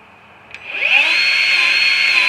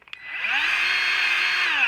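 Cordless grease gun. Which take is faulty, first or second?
first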